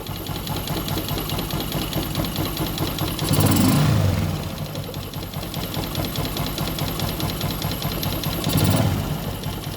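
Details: Jupiter MX motorcycle, recently bought, coolant leaking into the engine and greyish oil, idling: uneven loose ticking clatter about twice a second over the engine note; strange noise, cause unidentified.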